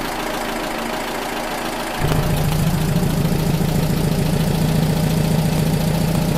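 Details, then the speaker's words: Rebuilt VW Type 1 40hp air-cooled flat-four after valve readjustment and oil cooler replacement that cured a problem: the starter whirs, the engine catches in about two seconds and settles into a steady, even idle. Normal idle. "we readjusted the valves everything looked good and uh it's running pretty good"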